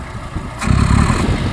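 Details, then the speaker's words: 1970 Citroen DS, carburetted: revs blip, then the engine falters and runs rough briefly when the throttle is dropped quickly; fine when closed slowly. Fueling issue suspected, carburetor rebuild planned. "It struggles for a little bit. If I do it slowly it's fine. So, I think we've got a little bit of a fueling issue."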